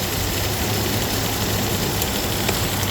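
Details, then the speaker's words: 2018 Dodge Durango, 3.6 L V6, transmission reported bad, check engine light on, hot day: steady even idle with constant hum of the engaged AC compressor, no knocks or squeals; AC blowing cold but not very cold. Normal idle with AC engaged. "AC compressor is working AC is engaging it's not as cold as I would like it you know I like it really cold but it is working"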